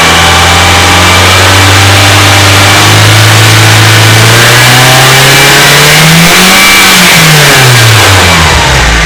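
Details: BMW E30 318is M42B18 revving: dry metallic rattle over the note, worst around 2800 rpm, from bad cam sprockets and a slack timing chain; after chain tensioner replacement worst at 3000 rpm.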